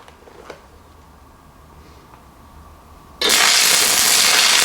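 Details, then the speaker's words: Fronius TransSteel 2200 stick welding a 3/32 7018 H4R rod at 90 amps: arc catches and holds an even, steady crackling hiss without popping or stuttering; clean, stable burn. "Arc so it runs that pretty smooth like I said this is just a regular 3302 708 h4r if that matters to you"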